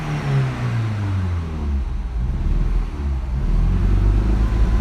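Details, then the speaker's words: 1.8T Audi TT after new turbo downpipe, holding about 3,000 rpm: revs surge and sag unevenly with a lumpy stumbling drone, then die; owner suspected a loose boost pipe. "It's kind of revving up and not revving up. And then sometimes it'll go down here at like 9,000 and and it'll then just drop all the way down and go and then just die."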